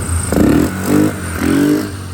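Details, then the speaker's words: Fire-damaged 2006 Polaris 500 ATV, stored 2 years, running after a correct replacement wiring harness: engine runs with clean throttle blips, no misfire or knock. Healthy running; no engine issue. "we finally we got a wiring and we fired this thing up the run's good so there is no issue with the engine"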